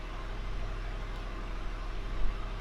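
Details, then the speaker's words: Shelby GT500 V8 at a steady, low, even idle with no misses, knocks or whine after replacing a faulty alternator fitted by another shop; the car previously wouldn't start and now runs normally. "That's what we want to hear. So before, this car wasn't even starting, and now it's working like it should."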